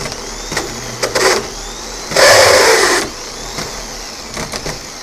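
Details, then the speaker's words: Gear-reduction parts starter for a 1990 Jaguar XJS V12, bench-tested with clamps: a brief, harsh, high whir that never builds speed. The drive kicks out but develops no RPM; the starter is thought to be junk. "That doesn't sound good. The drive kicks out, but it's not developing any RPM."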